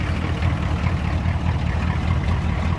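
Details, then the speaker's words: 1991 diesel conversion pickup with military 6.2 diesel, two-wheel drive, cold winter start after five days unused: deep, steady, even clatter at idle with no misses, a healthy cold idle. "i haven't ran this truck in about five days hahaha it started right up and this is an older truck"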